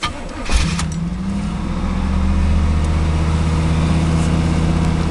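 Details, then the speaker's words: 1986 Pontiac Trans Am, originally tuned-port injected, now carbureted 350 V8 with in-tank electric fuel pump and no pressure regulator: short crank catches almost instantly, settling into steady, even idle with a brief rev; starts easily. "I don't know if you'd hear that, but they still have the electric fuel pump in the tank, and no kind of pressure regulator there, so it does turn on pretty easily."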